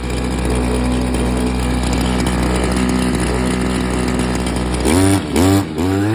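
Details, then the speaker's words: Stihl FS86 trimmer after new fuel line and fuel filter, starting easily: small two-stroke buzzing at a steady idle, then a few quick throttle blips climbing and dropping cleanly; runs fine. "d it with the drill, and it fired up as soon as the fuel hit the carb. So I put the recoil on and it's been starting easily."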